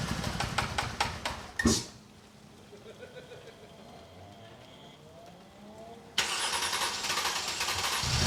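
Starter cranks and the engine catches, then settles into a loud but even run with no knocking; it starts and runs normally.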